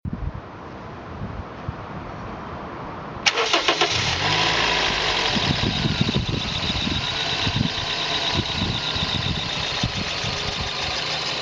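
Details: 2000 Toyota bB Z X Version, 220,000 km, start-up: quiet, then fires and settles into steady idle with faint irregular ticking over the hum; abnormal engine noise, cause not evident.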